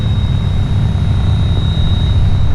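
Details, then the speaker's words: 2009 Dodge Ram AC/heater blower motor before replacement, at lower fan speed: low rushing airflow with thin steady high-pitched whine, worst on speed three; weak airflow, sometimes fails to ramp up; worn blower motor, replacement fixed noises. "like this high-pitched whine and that's unlike - and sometimes you get it really bad on three"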